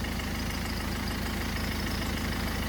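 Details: 2011 Ford Focus turbodiesel, previously crank no start with no fuel pressure (jelly-like debris suspected in the fuel pipe): steady, even low diesel idle with regular firing pulse, no knocks or misses; normal idle.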